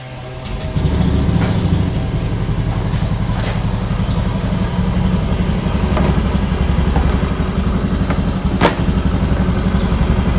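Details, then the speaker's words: Honda Scoopy ESP scooter after repair and reassembly, idling then revved: smooth, even idle with steady low hum, no humming drone or grinding, changed from before repair; normal idle. "Oke teman-teman ini posisi keadaan sudah menyala ini stasioner kita gas dengarkan dan kita bandingkan ini potong"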